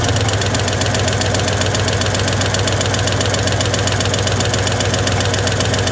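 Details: 1961 Chevy Apache V8 started for timing with a timing light, later set at about 12 degrees; nearly out of fuel: steady pulsing beat around two to three a second, slightly uneven and lumpy; rough idle, cause unconfirmed.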